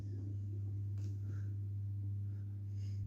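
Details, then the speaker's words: Kimball Syntha Swinger 1000 organ (1970s, service tag 1976) with built-in Leslie rotating speaker set to fast: steady low hum with a soft churning, washing-machine-like whir, the normal sound of the spinning tremolo speaker. "okay so the organ is on and you can probably hear some strange washing machine noise and that is actually the tremolo speaker it's on fast right now"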